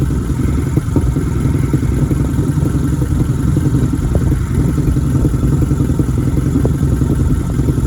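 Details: 1987 Nissan engine on its first start of 2021 after sitting: loud, uneven low chugging with loose clattery ticks and no steady rhythm; rough idle.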